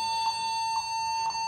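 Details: Laptop at power-on giving an unbroken, fairly high continuous beep, caused by a faulty or stuck keyboard.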